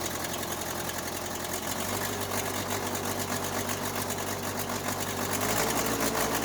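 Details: Case 580C backhoe diesel, first start after valve adjustment, injector replacement and fuel stop cable fix; even clatter at steady idle about four beats per second, no misses or heavy knocks. Normal diesel idle.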